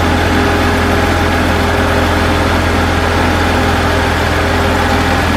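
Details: 2004 BMW 325i project car, exhaust manifold now fully connected after it made noise the day before: steady low idle with an even beat, no ticking or puffing from the manifold; runs smooth and sealed, normal idle.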